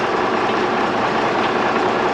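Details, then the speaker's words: Freightliner truck diesel, first start after engine rebuild: steady even idle clatter, no knocks, misses or surging; smoking from assembly oil on pistons burning off, clearing quickly; sounds healthy. "But it sounds decent. Sure, once we run it for a little bit, it won't smoke at all."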